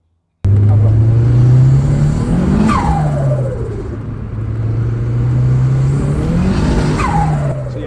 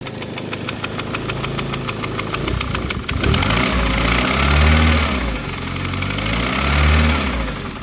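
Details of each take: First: Turbocharged car before dyno failure, running under 10 psi boost (about 8 psi) on light load: smooth engine drone rising and falling evenly with throttle, no knocks or rattles; engine sounded perfect, not a single noise. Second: Car after dyno failure, run briefly on minimal fuel just to demonstrate the noise: rough, lumpy, rich running with sharp tapping about 2.5 times a second, fading as revs rise; knock of unclear cause, compression test to follow.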